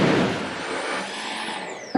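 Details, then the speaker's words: Fifth-generation Toyota 4Runner (2010-2021) after engine shutoff: thin high electric whine from the secondary air injection pump holds then spins down, a run-on to clear the pump of debris; normal. "you'll also notice this pump will make a noise when you shut off the car you'll hear like a motor run just like you hear right now"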